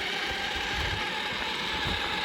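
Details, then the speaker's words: Traxxas Maxx V2 RC truck on its 3rd run with an 8200mAh high-voltage battery, after a heavy rear-biased landing: rapid gritty ratcheting over the motor whine under throttle; owner suspects a stripped plastic spur or a loose pinion with mesh out. "if you listen to when I give it some or it's still making contact look cuz it's driving but probably a very small amount"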